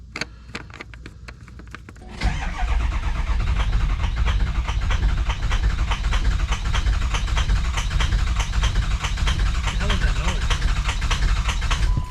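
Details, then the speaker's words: 2003 Ford F350 6.0 PowerStroke diesel restarting after running out of fuel, with the fuel rail emptied. After two seconds of cranking it catches and chugs unevenly, hitting on only a cylinder or two, with air still in the fuel rail. "It ain't happy, but it's alive. Very, very unhappy. No telling how much air is still in that fuel rail."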